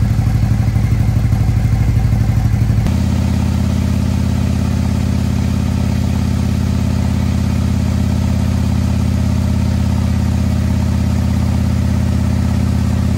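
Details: Harley-Davidson 2020 Road Glide with 130-inch performance engine, first start: deep steady loping idle, even thumping with no knocks or rattles; healthy.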